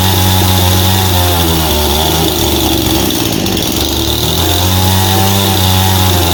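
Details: Husqvarna 51 chainsaw with aftermarket big-bore 55 piston and cylinder (high compression), after carburetor cleaning for no-start from sitting with old fuel: loud buzzing two-stroke holding a fast steady speed, dipping slightly and recovering without stalling; normal running.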